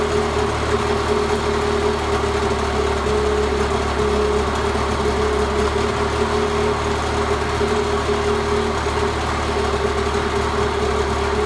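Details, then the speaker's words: 1986 Mercury 35 hp outboard idling in forward then reverse after fine carburetor adjustment and slightly raised idle: steady even low drone, no misses or knocks; runs smooth and healthy. "that's forward gear and idle [Applause] that's reverse I know that's working okay"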